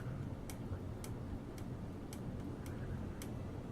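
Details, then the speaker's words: Wobbling ceiling fan after all screws, including the down rod's, were retightened, running with the light kit off after a start-up delay. Steady low hum with a light, evenly spaced tick; normal running, residual click quieter than before. "I know this one makes noises but it was worse than this so yeah I'll"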